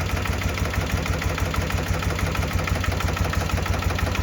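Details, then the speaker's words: 1972 BMW R75/5 with Bing 32mm carbs during idle-drop tuning: a very slow, lumpy idle about two pulses per second, near stalling, as the mixture screw is backed out; turning it in an eighth turn brings the idle back up. "I'm going to back this idle down because it's idling kind of high there. Ooh, it's idling really low."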